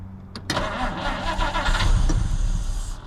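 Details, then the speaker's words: 1950 Dodge Meadowbrook on a 6-volt battery, restarted with fuel squirted into the carb, running worse than before: the starter grinds the engine over at a sluggish, labored pace before it briefly catches. The starter is much slower on 6 volts than on 12. "But you hear how that starter is much much slower on uh 6 volts than it is 12."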